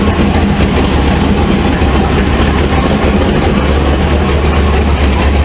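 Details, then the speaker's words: 1948 Ford F1 custom panel truck at cold idle: a steady low rumble with a faint rapid puffing chuff from a leaking exhaust manifold, which is due to be replaced. "But you can hear that exhaust leak. Kind of cold. I don't want to get it too hot because I'm going to change that manifold."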